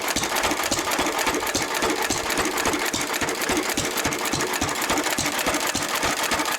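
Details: 1923 3.5 hp Emu (rebadged Hercules) stationary engine, restored early 1980s, idle 20+ years, after oiling a sticking magneto/exhaust valve linkage: steady even chuffing about three and a half beats a second, no misses or knocks; normal running.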